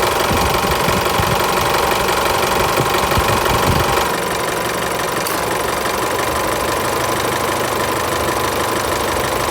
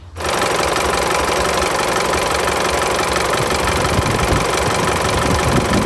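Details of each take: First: Isuzu Mu-X diesel idling after fixing AC belt and compressor clutch noise: belt runs steady without flapping, usual even clatter, no belt or compressor clutch noise even with AC on; normal idle. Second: Isuzu pickup diesel idling: busy, uneven rattling flutter from the engine front as the AC compressor belt shakes heavily even with the AC compressor off; loose belt, initially unsure whether belt or compressor clutch.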